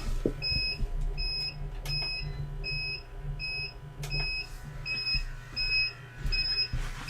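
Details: UPS powering an electronics bench with aging batteries: sharp high beep repeating about every two-thirds of a second in a quiet room, warning that battery power is low; UPS low-battery alarm.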